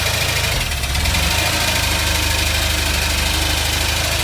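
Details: Opel Manta on its first start after an engine rebuild and refit, with smoke earlier seen from a coil: the idle pulses unevenly with a ragged, loping beat and some hiss, running rough and not settling; cause not confirmed.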